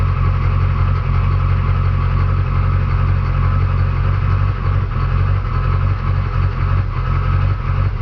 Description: Another listen to the rough idle in my truck. Some are saying a new fuel pressure regulator?